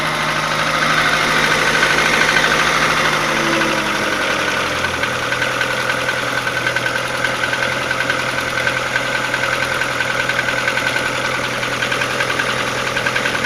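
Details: Faint, fairly regular tapping knock, a couple of beats per second, over the idle of an Audi 80 B3 1.8 engine; source of the knock not pinned down.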